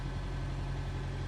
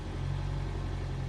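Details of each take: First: Manual car engine held steady with a low hum, no shudder or dip, with the clutch at the correct biting point. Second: So, that was biting point two. Creaking, shaking. The car's like, "No, no, that's wrong. You've gone too far."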